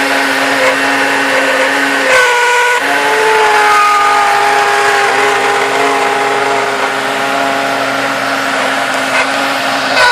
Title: Grinding noise coming from engine